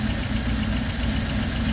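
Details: Hot LaSalle engine, no choke, throttle worked from the engine compartment: loud drone with uneven lumpy low pulse, rough running while perc rods move about 1/16 inch up and down; fuel starvation suspected, unconfirmed.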